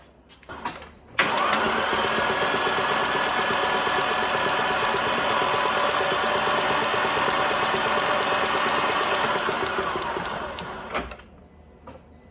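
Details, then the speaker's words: Fiat Abarth (rescued non-runner) cranks fast and even, about 3.5 beats per second, with no compression pulses and no catch after MultiAir valves were bled; oil pressure present but no compression, owner suspects timing problem. "So there's a pressure there, but there's still no pressure on the engine at all."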